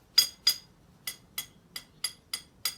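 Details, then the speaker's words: 2007 Mercedes S550 (W221) wheel rocked top to bottom by hand, no play side to side: sharp metallic clicks, about eight in three seconds; play suspected from a loose wheel bearing nut. "but when either of my hands are top or bottom and i go like this you know that's when i fee that you hear the it's like a"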